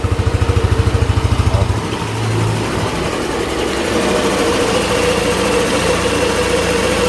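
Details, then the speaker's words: Yamaha NMAX scooter after repair of a ticking (tek-tek) engine noise: a smooth, even idle with a steady beat and no ticking from the top end; it sounds like a new bike. "Kita coba dulu Bang untuk suara sih anyep enak ya kayak motor baru [Musik] lagi pokoknya enggak ada ngeritik-ngeritik Bang untuk suara mah enak banget nih jos pokoknya untuk suara Enak"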